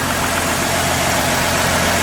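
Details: 2016 Ford F-150 3.5 V6 first start after the correct starter replaced a wrong one on a supposedly locked-up "dead" engine; it is burning off thick fluid that smells like Marvel Mystery Oil. Smooth, quiet, even idle with no knocks or ticks. Normal idle.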